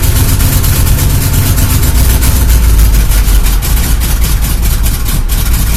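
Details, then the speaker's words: Chevy El Camino after sitting about a month and a half, gas poured into the carb, running ice cold on choke; deep steady rumble with even firing, no misses; normal cold idle, carburettor not gummed. "and it's got a good Idol at cold that means this craft work because it was sit in a while and the gas that was in there didn't get so gummy yet it clogged it off the carburetor"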